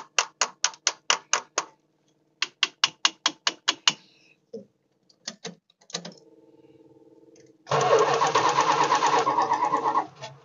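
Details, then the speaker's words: Old motor home with Mopar 440 V8, old bad gas: starter churns in bursts at about two compressions a second but never fires; no fuel seen at the carburettor, owner unsure the pump is pumping. "see if we're getting any gas in this thing see nothing so is it pumping or not I know I got gas but like I said it's going to be no good uh not seeing nothing"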